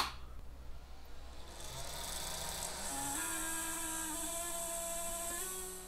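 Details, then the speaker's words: 3D printer cooling fan at power-on: a shrill rising whine with a gritty buzz. A bad or dried-up fan bearing is suspected; not confirmed. "that's probably a bearing in the fan that has gone bad or even just dried up"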